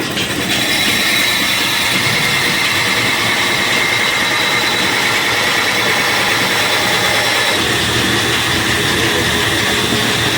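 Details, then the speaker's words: Flour mill (chakki) with the feed opened and pressure applied: dense steady grinding rush with slight even vibration and no knocks or rattles. Normal grinding under load. "इतना सा तो करेगी दोस्तों, देखो। गाला चालू करते हैं, दाब लगाते हैं पहले।"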